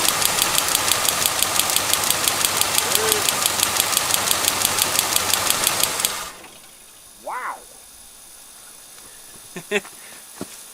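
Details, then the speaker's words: 1977 Lincoln Continental Town Car, 400ci engine, running after sitting for years: sharp, even snapping ticks about three a second over the engine, then stopping. The coil lead is arcing directly to ground and needs a new or better-insulated wire. "you guys hear that popping off it's just direct shorting i have to get another wire on that yeah it's just plain old arcing"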